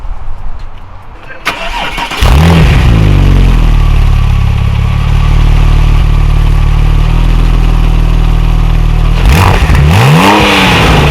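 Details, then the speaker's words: Wrecked salvage Porsche 997 911 Turbo convertible being rebuilt, cold start: catches, steady slightly harsh idle that sounds dry as if without oil, which owner says all his 911s do, then two clean blips; normal start and rev. "every single 911 I had we've done that when they start up it almost sounds like it's running dry with no oil"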